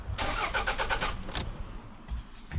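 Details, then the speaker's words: Cheap used car, dash lights on, ether tried: starter cranks briskly in short bursts but engine never catches, red flashing immobilizer light; crank no-start with immobilizer active. "You know what? This thing's cranking, but not starting. There's a red flashing light here. I think it's immobilized. 100%. 100% this engine is immobilized."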